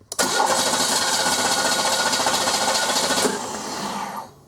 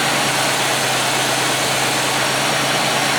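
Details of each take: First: 1995 Oldsmobile 88 3800 Series II with low battery, cranking with test light on injector: quick steady cranking, three to four beats a second, never fires; no injector ground switching, ignition module suspected, crank no start. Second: 1995 Oldsmobile 88 with a 3800 Series II V6 after fixing a crank-no-start no-fuel-delivery fault with a cheap junkyard part: steady, even idle with a smooth low hum and no knocks, misses or stumbles. Normal idle.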